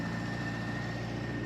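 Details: Austin A30 after restoration, first cold start after six months with choke out: steady, even low idle with smooth regular beat, no knocks or misses; purring, sounds good. Normal cold idle; separate broken exhaust bracket noted.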